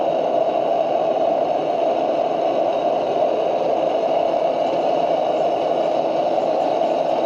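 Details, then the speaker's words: Military 252A pressure lantern lit, warmed up and valve opened to full pressure without extra pumping: steady, even hissing roar with no sputter or pulsing, burning cleanly; normal burner operation. "Once it settles down, starts to burn some of that out, I'll crack that valve open and she'll sing. And there she is. On full pressure."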